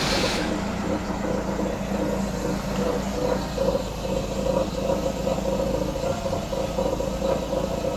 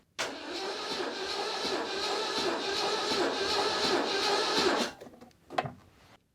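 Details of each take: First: 1989 Citroën CX 2500 GTi, off the road since about 2007: steady even idle with a soft low hum, no knocks or misses; quiet and smooth. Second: 1989 Citroën CX 2500 GTi petrol, 400,000 km on car, cold, coil disconnected and throttle held open for compression test: sluggish uneven cranking, no start; weak battery, starter struggling even with one cylinder compressing.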